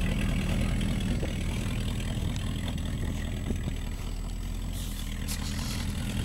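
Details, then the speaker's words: 1972 Plymouth Fury started in the snow: loud, slightly uneven idle with a raspy puffing edge on each firing stroke from a leaky exhaust. The owner also thinks the motor may have a tick. "i don't know if you can hear it running or not but you probably hear it now since it's got a leaky exhaust"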